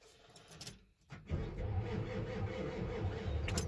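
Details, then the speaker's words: 7.3 diesel truck that had no crank at the key, now working with the glow plug relay module removed. After a click, an even churn of about three compression pulses a second; the starter turns the engine properly. "but anyways you can hear that it's cranking over so it works"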